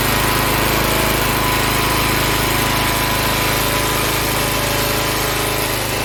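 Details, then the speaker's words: Log splitter Briggs & Stratton engine 126T02 after repair: carburetor cleaned, speed set to about 3100 rpm spec, valve underneath two turns out from seated. A steady, even high-speed single-cylinder drone, no surging or stumbling; running much better. "i cleaned the carburetor adjusted the rpms to about 3 100 rpms and then i adjusted the valve down below to two complete revolutions out from seated and this thing is running a lot better than it was"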